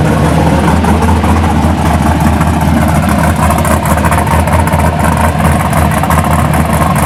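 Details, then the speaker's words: 1983 Buick Regal with fresh LS1 swap, MS3 cam, 5.3 truck heads, mid-length headers, dual 3-inch exhaust with SLP Bullets, TH400: loud deep lopey idle, choppy uneven cam rumble, steady throughout; healthy engine. "Let me go ahead and let me crank it up for y'all and see. It's got a very nice cam in it. Sounds pretty good."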